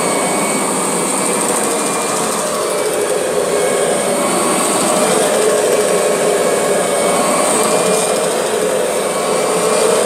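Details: Kirby G6 vacuum cleaner running: a loud steady motor roar with a constant whistling tone and a faint wavering buzz; odd noise, cause not found.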